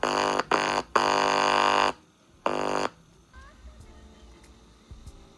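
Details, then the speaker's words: Tape recorder or VCR audio playback, likely the RCA bed-type tape recorder: music drops out abruptly several times in a few seconds and returns at full level; sound returns briefly when shorted; owner suspects a faulty capacitor. "இப்ப பாத்தீங்கன்னா sound cut ஆயிடுச்சு நம்ம வந்து இத பாத்தீங்களா இது short பண்ணும்போது sound வருது கொஞ்ச நேரம் இருக்கு அதுக்கப்புறம் போயம்."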